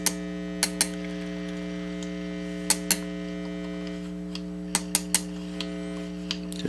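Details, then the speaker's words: PRS SE Custom 24 electric guitar, with a wiring fault after a pickup swap, is plugged into the amp during troubleshooting. A steady low buzzy hum sits under handling clicks; the noise is new, and the pickups give no volume. "Oh. Wasn't making that noise before."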